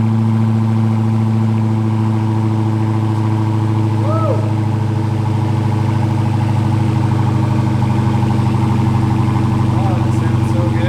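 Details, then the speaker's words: Wrecked Hellcat being rebuilt, idling after a near-cold start: a deep, steady V8 burble, even and settled, with no misses or knocks. The engine runs clean; normal idle. "I have listened to that all day long that sounds so good"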